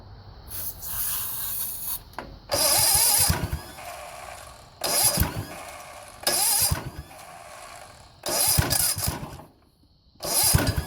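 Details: 1970 Sears Suburban tractor with a 16hp OHV Tecumseh engine, after a no-spark ignition repair, fires and runs in several strong bursts with short pauses, catching cleanly each time; normal running.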